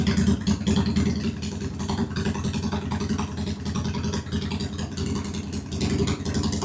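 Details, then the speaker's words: 2001 Honda Shadow VT750 after carb work with new parts, airbox off: a steady, loping V-twin idle with both cylinders firing and no misses; the front cylinder is said to run richer. "Yeah, the rear is running a little richer. Or no, the front is running richer."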